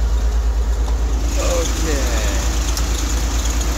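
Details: Corvair with carburetors, after fitting a new alternator and correct cooling fan, just started: smooth, regular low thrum at idle, about three pulses a second, no ticking or knocking; healthy idle, now charging.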